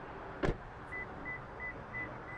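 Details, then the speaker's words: Lexus GX 550 (2024–2026) left running, driver exits carrying the smart key: door thump then string of short high chirps about three a second over quiet idle, the key-out-of-vehicle warning beeps; vehicle not yet locked. "bit I didn't lock the vehicle but it's beeping at me because I took my key with me"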